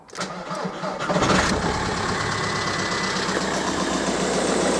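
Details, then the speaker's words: 2002 VW Golf PD130 diesel after the injector loom was replaced. First start after reconnecting the battery: about a second of cranking, then it catches and settles into a steady, even idle, "loads healthier." "yeah loads healthier that though nope yeah listen to that baby purr"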